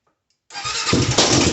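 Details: Honda 400EX quad that died while riding, after replacing the spark plug with an NGK DPR9Z-equivalent: quick catch after brief silence, crisp single-cylinder patter settling into steady run; starts cleanly, fixed by new plug.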